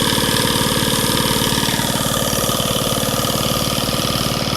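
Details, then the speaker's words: Antique sewing machine motor freed up with WD-40 after being frozen, drive belt cracked; steady, even rhythmic whirr with no catching or grinding. "I can't believe the motor still runs just good you can even hear them over"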